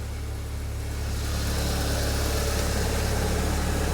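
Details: Saab 9-3 Convertible, which reportedly has an oil leak, after an unidentified noise stopped: smooth, even low idle with a steady beat and no knocks or odd noises; normal idle.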